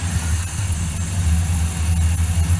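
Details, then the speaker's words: Ford F150 2002 5.4 2V, being diagnosed for P0401. Vacuum is pulled on the EGR at idle, and the low rumble turns uneven and lumpy, then returns to normal on release. EGR valve and passages flow normally, so the fault is elsewhere (solenoid or DPFE suspected). "should hear that the engine is having a problem as that indicates that my passages and egr are good and once i release the vacuum engine went back to normal"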